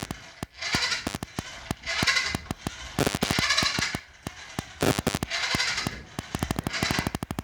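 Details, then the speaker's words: Cheap RC truck wheels pushed by hand without remote: loud rapid bursts of sharp clicking starting and stopping with wheel movement; drivetrain gears clattering, annoying and noisy. "yeah it's very annoying and noisy"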